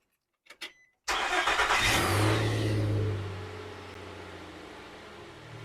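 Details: 2005 Nissan Xterra after replacing crankshaft position sensor (intermittent crank-no-start) and camshaft sensors: short crank, catches at once, flares up and settles into an even steady idle; clean, healthy start.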